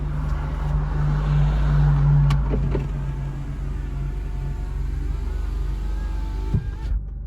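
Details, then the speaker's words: Mitsubishi Colt CZCT convertible (4G15T MIVEC turbo), roof just raised, engine idling quietly: low steady window motor hum for a couple of seconds, then a soft stop; windows closing normally. "i think that means that's up so we bring the windows up"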